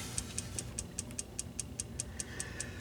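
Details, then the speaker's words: Original, unmolested Wells Gardner K7400 25-inch arcade monitor chassis on power-up: sharp, even ticking about five a second with no start-up, indicative of a shorted horizontal output transistor (HOT). "And that's absolutely indicative of a shorted HOT, so let's take it off of the tube here and see if we can diagnose what the problem is."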